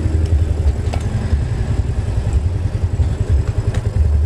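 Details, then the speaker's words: Yamaha Mio Soul carburettor scooter at idle after light service: steady even putter with no misses once the idle air screw, opened about two and a half turns, is adjusted for highest rpm, the correct air setting. "itu setelah pas itu adalah setelan angin yang cocok untuk karburator ini"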